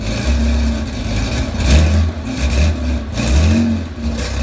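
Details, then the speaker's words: 35-year-old Porsche 911 SC 3.3 wide body with M&K exhaust headers and PMO carbs, cold start: catches and runs a lumpy, hunting idle with what sounds like some backfiring, temperamental until warm; rough cold start. "As you can see, she's a little temperamental when she's cold. Sounds like I got some backfiring going on."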